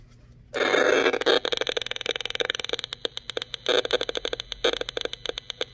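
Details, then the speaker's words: Acoustimeter RF meter near a phone with its radio on: rapid, uneven crackling "toc toc" ticks at about three per second in short bursts. "C'est qu'étant donné que c'est un acoustimètre, mais après avoir mis le téléphone en mode avion, bien, ça continuait à faire toc, toc, toc, t"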